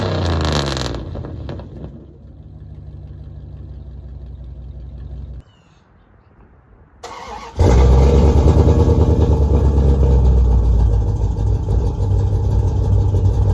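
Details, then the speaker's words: 5.2L Magnum V8 with new headers and exhaust, started after replacing burnt ignition wires that had caused backfires. Cranks, catches and settles into a strong steady idle with no pops or backfires; running healthy. "There we go. She's not backfiring anymore. Um, so I'm happy with that."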